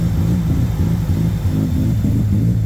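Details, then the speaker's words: Mazda RX-8 rotary with bridgeport tune and tuned ECU, not yet fully warm (about 72°, AFR 14.6, fan on): deep burbling, lumpy, wandering idle as the ECU relearns fuel trims from excess oxygen; smells very rich. "the car is Arling completely differently it has to relearn cuz it's getting excess oxygen"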